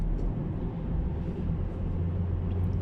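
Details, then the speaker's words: Road test at about 80–90 km/h after suspension and brake work (bushings, pads, caliper checked): steady low road rumble with no knocks or clunks; the customer's noise after 15–20 minutes of driving is no longer heard. "Bizler şu an kontrol ediyoruz herhangi bir ses yok"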